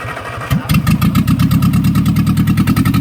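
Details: 1964 MG Midget Mk II first start after 30 years sitting outdoors, a little choke: uneven, lumpy thump around five or six beats a second with missing firings; rough running blamed on carbs with stuck plungers.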